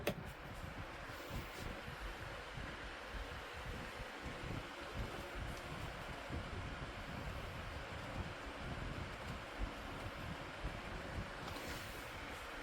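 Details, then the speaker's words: Lasko 2501 12-inch desk fan after cleaning and motor replacement: a strong, steady rush of air over a low motor hum with no rattles or scraping. The fan runs normally. "Yeah, that's really whipping the air now."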